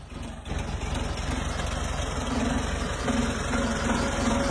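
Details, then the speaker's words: 1979 VW T2b Westfalia, 1600cc single carburettor, original exhaust, heard from the rear with foot off the throttle: steady even idle, soft regular exhaust pulse, no knock or miss; idles normally. "Voilà. Donc là, mon pied n'est plus sur l'accélérateur."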